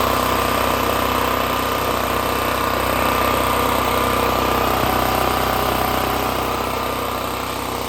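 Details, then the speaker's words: Extreme Contractor Series 6,500 W (8,500 W surge) gas generator, almost 20 years old, on a replacement carburetor that doesn't fit properly; choke set by hand, steady even putter holding speed without hunting. Idles on manual choke setting. "so really I'm having to move it adjust right here and that's how I got it idling the way it needed to be"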